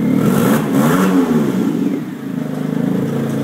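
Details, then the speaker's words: 2008 Smart car, customer complaint of exhaust noise: engine running with a loud, raspy, puffing exhaust note rising and falling with revs, exhaust leak. "start it up it does sound nasty i mean it doesn't even sound like a smart car sounds like a fart car"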